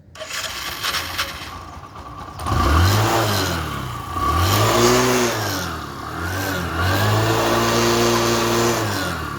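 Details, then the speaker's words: Bajaj Discover bike that wouldn't start; dirt and built-up dust in the petrol filter and carburettor were cleaned and the carb refitted. Kick-started 4–5 times, then self start: starter whir, catches, revs a few times, settles and runs cleanly. "Starting చూద్దాము. Starting 4 రౌండ్లు 5 రౌండ్లు దొక్కితే ఊపు అందుకుంటుంది అన్నట్టు."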